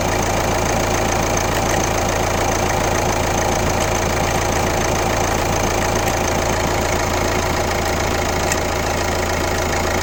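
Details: Kia Ceed 1.6 CRDI D4FB diesel, 115 km, at idle: steady idle with a regular light knock about two per second over the clatter; weird engine noise, source not identified.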